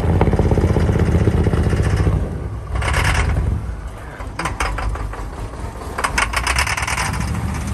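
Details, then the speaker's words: 1961 Chevrolet Impala barn find after 28 years sitting, just started: loud, uneven idle with a lumpy low pulse and chattering on top, possibly rockers; rough idle with knock, cause unclear. "it's running but it's rough [Music] whoa oh the dusty bubbles running"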